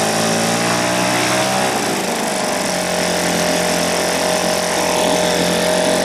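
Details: 1980 Johnson 2 hp two-stroke outboard running after a complete teardown and rebuild that fixed a stripped crankshaft and cracked coils. Steady, buzzy drone with an even firing beat and no misses or knocks; runs cleanly.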